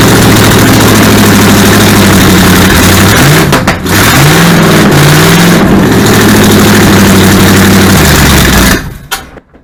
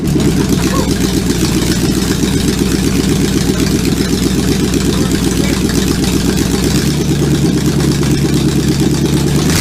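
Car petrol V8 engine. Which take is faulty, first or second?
first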